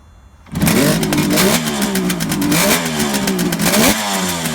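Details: 1971 Kawasaki H1 500 two-stroke triple with rebuilt engine, after repair of faulty spark plug cap and loose wire at distributor cap: catches at once, revs cleanly with crisp, even crackle, no misfires.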